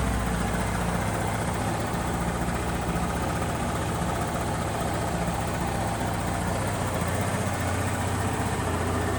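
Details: Honda BeAT FI scooter after repairing a broken wire in a connector that left the electrics totally dead; even steady low putter at idle with no misses, knocks or hunting, so the engine is running healthy.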